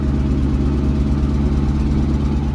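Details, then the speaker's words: 1967 Ford Mustang 289 V8 after tuning, stock cam, heads and manifolds, stock-style single-exit quiet exhaust, slight exhaust tick noted: deep steady burble, even pulse, no misses or stumbles; smooth normal idle. "here she is the little 289 that could running real nice and smooth"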